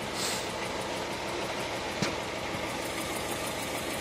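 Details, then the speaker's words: 2000 Honda Civic LX D16Y7 non-VTEC, driven with no coolant after cracked radiator: runs badly with a rhythmic misfire despite new plugs and wires; compression about 60, 60, 10, 140; cylinder 3 head gasket suspected of leaking into water jacket; one cylinder dead from a burnt valve. "got new plugs and new wires in there and you can hear running like pretty bad I did a compression test and it came back sixty sixty like ten and like 140 so I'm thinking it's a head gasket"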